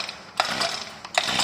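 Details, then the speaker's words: New four-stroke lawn mower engine, fueled: two recoil pulls give only a free ratchet whir with no compression thump; no compression, valve clearance checked and set under valve cover. "โอ้รถเหมือนกับไม่มีกำลังอัดเลยนะครับเครื่องยนต์4จังหวะนะครับ"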